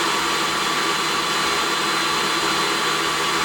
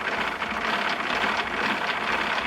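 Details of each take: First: DeWalt 735 planer retrofitted with a helical spiral carbide cutterhead, taking a decent cut: a steady, even high whir with constant tone and no thumps or chatter. It runs exceptionally smoothly under load. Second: Craftex CX13HC 13-inch helical planer: gritty rasping grind with fast ratchety texture while cranking the head down; owner suspects poor-quality bearings; unconfirmed.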